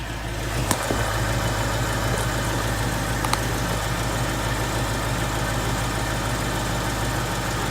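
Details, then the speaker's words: Bone-stock 2014 Ford Coyote V8 with 29,000 miles, recorded from passenger side, checking for tick or piston slap; smooth even low rumble, no tick or slap, one click is AC clutch engaging: engine sounds healthy. "Sounds healthy to me. We'll see. I've got to listen back to the video, but so far it sounds good to me."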